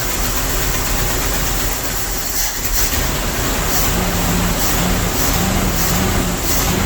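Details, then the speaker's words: Old Dodge W300 Club Cab truck previously missing on several cylinders and smoking heavily, started with choke after work: lumpy uneven idle with irregular thumps, barely running, smoking as bad or worse; several cylinders dead, cause unknown. "It's smoking just as bad, if not worse. And now it don't even want to idle."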